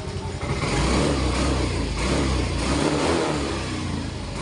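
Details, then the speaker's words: Second-hand Yamaha Mio i 125 M3 from repo, misfiring since it was acquired. Good idle, but under throttle the note surges and sags, stumbling and cutting out on acceleration; cause unresolved. "po, nagpuputol-putol siya mga ka-idol. Ayan po yung problema niya. So ayan po mga ka-idol, kung mapapakinggan nyo naman po ay putol-putol po talaga yung under niya."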